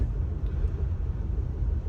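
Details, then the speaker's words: Great Wall Hover 4D20 diesel, first kilometres after head gasket and scored-cylinder repair, driven gently without load: low, even rumble with no knocks, ticks or whine over road noise; engine runs perfectly. "мотор работает прекрасно никаких замечаний в общем-то"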